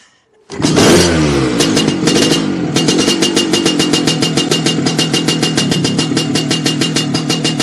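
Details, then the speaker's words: Lambretta two-stroke scooter with suspected drive-side oil seal failure, blowing thick white pungent smoke: uneven, stuttering beat of three to four pulses a second that won't climb in revs; rough running, seal failure suspected, not confirmed. "see that it's it's going really grumpy it won't go up in the revs so it's a quite a massive failure there"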